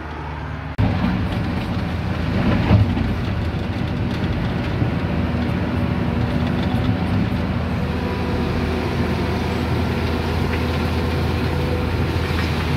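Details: Volvo EC480D excavator diesel operating after filter change, machine unlocked with accelerator dial up: steady, strong drone under working load with no sag toward idle, reaching needed RPM; idle-drop fault fixed by the filter.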